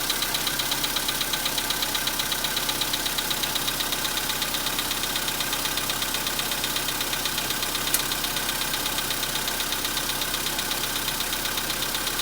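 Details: 2015 VW Polo Sedan, 91,315 km, cold start at about -10°C; cold idle with a crisp, very even ticking knock near three per second over light engine hum, knock that lasts longer in winter and fades when warm.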